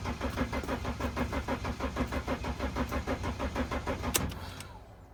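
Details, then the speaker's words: Mercedes Sprinter no-start: steady starter chug about three turns a second for four seconds, then spins down without firing; cranks but won't start. Owner suspects disconnected wiring; bridging two connectors underneath with key on made the engine spin. "so that is weird it's not coming out right now but at least it's spinning guys"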